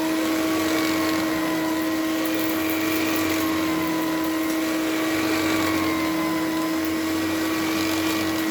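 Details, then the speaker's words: Electrolux LE vacuum after cleaning out and replacing worn parts, no filter fitted, during airflow and wattage test: steady high motor whine at one pitch with smooth airflow rush, no rattle or bearing growl; normal running. "well it's uh definitely a lux sounds like a lux feels like a lux i mean there's really not a lot to say about it"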